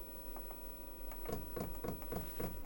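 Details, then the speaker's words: Diesel air heater used indoors, set to 35 degrees, about 50 dB at startup: quiet even ticking three to four per second over a soft fan hum, the fuel pump clicking fast as normal during startup. "sentite il rumore 35 gradi siamo a 50 decibel che non sono pochissimi e questo rumore questo ticchettio Per adesso è veloce perché si sta avviando"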